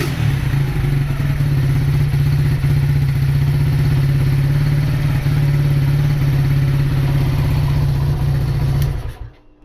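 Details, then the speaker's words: Honda GL100 CDI before its rebuild, with weak power and compression that is not very tight. A loud single-cylinder beat carries a clattery rattle and an uneven, hunting tone. The noise is blamed on the clutch, with an erratic carburettor, smoke and a probably local aftermarket exhaust. "itu suara mesinnya. Ee yang paling kedengar itu suara berisik dari kopling ya. Kemudian karbo juga sudah saya bilang ngacau, terus ngebul juga."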